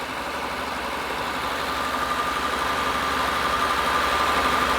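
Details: 2000 Honda Accord 3.0L with code P0505: even fast idle stuck high, creeping slightly up with steady hum, unchanged when EGR valve disconnected.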